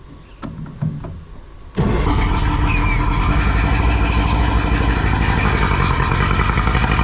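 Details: Two-stroke outboard on a tinny unused about 8–10 years, in neutral: scattered knocks, then it catches and runs at a steady, busy beat of about four pulses a second; sounds healthy.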